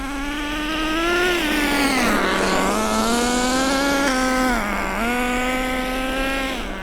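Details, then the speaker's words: Nitro RC car during break-in, driven on pavement at no more than half throttle: high, buzzing note rises and dips cleanly with throttle as the engine gains power. Normal break-in running. "Look at the power now. We're serious power. We're getting some serious power going on now."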